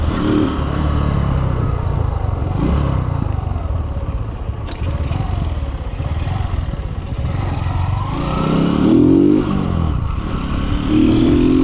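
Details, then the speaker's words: Kawasaki Boxer 150 on a road test after conversion to a 4-pin CDI, replacing the failed original: steady single-cylinder beat pulling cleanly through the gears under road and wind noise, no misfire or stumble; normal running. "One kick lang siya no? Para din siyang stock mga boss. Stock din yung anar niya."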